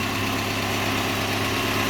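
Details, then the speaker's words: Datsun truck after new spark plugs, running cold: steady even idle with no stumbles or galloping and much less shaking than before; owner thinks new plugs may have cured the rough running. "right now it's running very evenly even back here it sounds good because before it would sound like it had a Gallop almost but it's running yeah it sounds very even"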